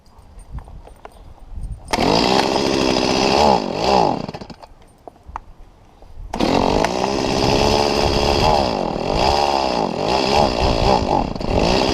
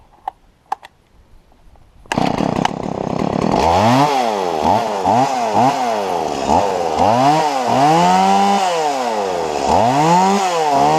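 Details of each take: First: Stihl MS170 chainsaw: revs up, then sags and wavers instead of holding a clean scream, bogging because the carburetor inlet control lever was bent down too far. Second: Stihl MS170 chainsaw after lifting the bent carburettor inlet control lever about 2 mm: snaps cleanly from idle to full revs and holds steady through repeated cuts, no bogging; normal running under load.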